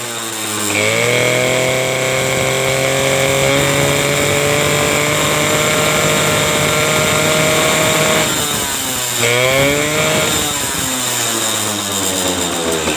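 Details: Suzuki RC 100 two-stroke motorcycle with hard starting and weak spark, started bypassing the ignition key switch during ignition wiring repair: crisp buzzing catches at once, holds steady high revs, blips up and down cleanly; runs healthy.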